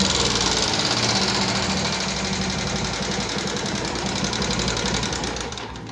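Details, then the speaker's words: 2014 Yamaha Jupiter MX carburetor motorcycle restarted: fast, uneven coarse metallic "kletek-kletek" clatter about four ticks a second; mechanic calls it serious, at minimum needing engine teardown and inspection to locate the source; cause unconfirmed. "Nah, ini kan suara kasar seperti ini termasuknya berat nih teman-teman. Karena apa? Ngeletek-ngeletek, minimal itu harus bongkar mesin ya kan."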